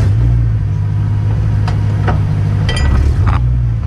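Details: BMW E93 M3 driveshaft clunk: a deep road rumble under acceleration with a few sharp, irregular clunks as load comes on, pointing to driveshaft play; the issue was reported solved.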